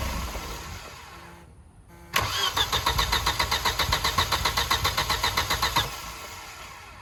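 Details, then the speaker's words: Volvo with fuel injection relay pulled, run on starting fluid after new crank belt: catches with a quick, fairly even beat of about four pulses a second, runs roughly three seconds, then dies; brief firing on starting fluid. "I don't know if you heard that, but it ran. It definitely ran."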